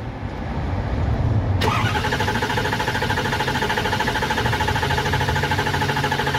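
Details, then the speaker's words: Diesel truck that ran out of fuel near a quarter-tank reading, now being primed: starter grinds in steady rhythmic cranking with no firing or catch; cranks but won't start because of air in the fuel lines. "we still have to make sure that the fuel pump is primed there's no air in the lines or else we're going to be back in the same spot we were in cranking on it with a with a no start this morning"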